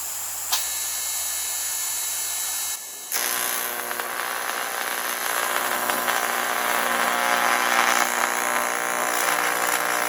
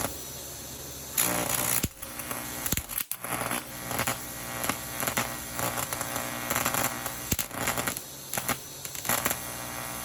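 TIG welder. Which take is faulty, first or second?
second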